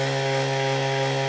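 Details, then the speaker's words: Lyric Graffiti X e-bike with intermittent motor cut-outs and 24h error code, throttle pulled with wheel free: loud steady harsh drone at fixed pitch, no speed rise at full throttle, wheel stops instantly as if braked; owner suspects something locked up in hub motor. "it's not going any faster than that and look it instantly stops like it has a regen like activated or the brakes are like squeezed but they're not so there's definitely I think something locked up in this motor"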